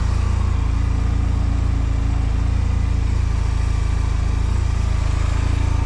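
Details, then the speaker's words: 2005 Honda Silver Wing scooter, first start after sitting neglected (moss-covered), oil and coolant checked; oil and ABS lights on at start; fires right up into a steady, even low putter at idle with no knocks or rattles. Normal idle. "oh look at that yeah fired right up sure"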